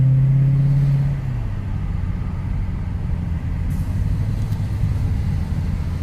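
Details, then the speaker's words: 2008 Mercedes CL63 AMG V8 back on the road after fuel injector replacement, driving in traffic; deep even rumble settling into a smooth steady drone on barely any throttle, no misfire; sounds strong and drives well. "Sounds good though. strong now. Drives pretty good now. This is like barely any throttle."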